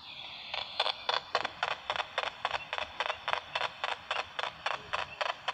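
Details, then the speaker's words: Homemade "Frankenstein" motor running on solar, battery or supercapacitor power, needle contact hitting an eccentric brass ring; crisp, even scratch repeating just under twice a second; normal brush contact scratching each turn. "that scratch scratch scratch is what's going on up there"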